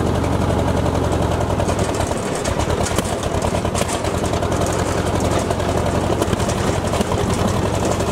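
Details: Ford Jubilee tractor with the PTO mower engaged after a new carburetor: deep, steady drone that holds its speed without stalling. Pulls under load and cuts much better than before, though the carb still needs adjusting.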